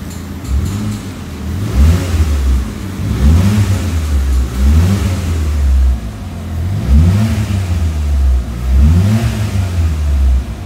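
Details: Peugeot 206 petrol engine blipped repeatedly: each rev rises unevenly and falls back, hesitating instead of pulling cleanly; suspected TPS, fuel pressure, MAP sensor or engine wiring, addressed by repairing engine wiring.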